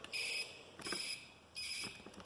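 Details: Taotao TBR7 250, bodywork removed: high shrill chirp in short bursts about every 0.7 seconds, switching on and off with the flasher; the turn signal beeper speaker, before it is cut out.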